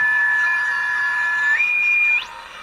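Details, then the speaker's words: 1978 Soviet Vega 404 AM transistor radio under repair, not playing; a clean steady whistle picked up on a second radio steps in pitch with the dial then drops away; local oscillator running, fault suspected in audio section. "so I think the thing o'clock loss light is running in it so it sounds like we've got something happening in the audio section it sounds like lower-class lighters running"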